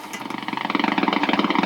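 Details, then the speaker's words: Accutrak VPE-GN PRO ultrasonic leak detector held at a wetted refrigerant pipe with a very small leak (barely foaming): a fast, loud, buzzy crackle that rises at the leak. "sounds like that that's that crackling i'm trying to was trying to describe hopefully you can hear that on the camera to real loud crackling"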